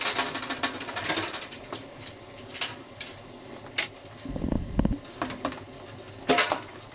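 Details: Clothes dryer before repair: loud irregular knocks and clatter about once a second with a brief squeal as the drum turns; annoying knocking and squeaking while running.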